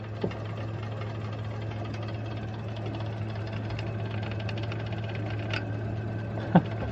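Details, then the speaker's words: Chevrolet Lacetti, 5D engine, warming up at a steady petrol idle after a gearbox swap, with the oil light also coming on. A light fast knock from underneath, like a bearing shell, is a broken loose clamp flapping. "Короче, посмотрим, сейчас прогреется, что вообще здесь произойдёт. Ну, звук, конечно, прямо очень похож."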